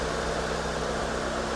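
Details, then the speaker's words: 2010 Hyundai Avega GX with a new oil filter, idling for the Prestone engine flush (5 minutes, engine not driven): steady, smooth low hum with no knocks, misses or ticks; normal idle. "suara mesin khas SOC. Halus suaranya halus di kalengnya ini memang untuk penggunaan hanya 5 menit."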